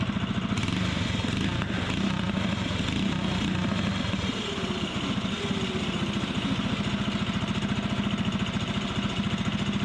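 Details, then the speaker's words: Fiero go-kart's small single engine, tested right after a new exhaust pipe was cut and welded: steady, fast putter with a crisp, clean exhaust note and no misfires; sounds better, normal running. "oh heck yeah that sounds better that sounds like progress"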